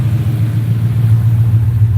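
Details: 4.6 V8 on a Terminator X V2 ECU, idle being tuned to about 800 rpm with the IAC at 42: smooth, even low rumble with a steady beat and no misses or hunting; normal, settled idle.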